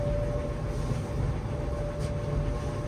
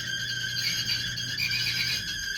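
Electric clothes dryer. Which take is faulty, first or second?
second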